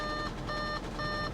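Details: 2004 Chevrolet Corvette C5 Z06, 160,000 miles, at auction yard, runs poorly with suspect coolant reservoir: clear mid-pitched chime pulsing about twice a second over engine hum, check-coolant-level warning. Low coolant warning chime.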